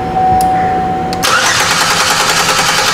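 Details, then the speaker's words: 2005 Chevy Equinox 3.4L cranking during a waste-spark test: the starter turns the engine over at an even pace with no firing; spark and fuel pressure are good, and the injectors get no power because the main relay is not turning on. "we have spark there is no reason to check the rest of these just simply because the car isn't even trying to start"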